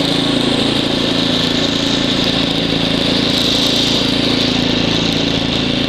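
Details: Ariens ST724 snow blower clearing snow, rebuilt carburetor, new fuel lines and impeller bearing; microphone apparently clipped in hood, likely exaggerating noise. Steady, even drone holding speed under snow load, no surging or misfires; normal running under load.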